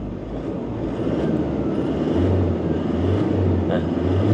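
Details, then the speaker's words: Toyota Fortuner piezo-injector diesel after injector learning/reset for slight engine shake and warning light: revs climb smoothly with even steady drone, no knocking at all; injector values now good. "ไม่มีเสียงเขกเลยนะครับเงียบกิ๊บ"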